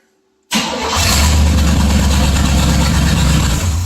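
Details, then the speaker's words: First fire of a '62 Chevy 327 V8 swapped into an '86 GMC Sierra Classic: cranks, fires and settles at once into a strong, steady, even idle; strong oil pressure, no leaks but fuel, wrong carburetor fitted, not yet tuned; runs great. "So we're doing great. It runs great. It sounds great. Sounds like demolition derby time to me."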